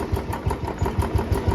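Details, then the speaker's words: Royal Enfield Bullet Classic 350 idling after a periodic service and oil change: single-cylinder thump about six times a second, quieter than before, but with a faint thin 'chhan chhan' metallic chatter that was first thought to come from the top end; worn timing gear pin. "But जो ये एक बहुत पतली सी आवाज आपको सुनाई दे रही होगी छन छन की। बहुत पतली पतली सी आवाज वो पहले मुझे लगता था ऊपर की साइड से आती है"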